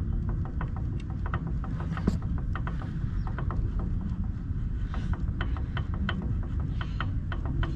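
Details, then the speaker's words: 1998 Chevy C1500 (6.0, 4L80) rear axle, freshly installed Yukon clutch-type posi with 4.10 Motive gears, second install attempt; light repeated click-clack as the axle is turned by hand, the limited-slip clutches engaging normally. "That's the noise that we want. The click clack. Click clack."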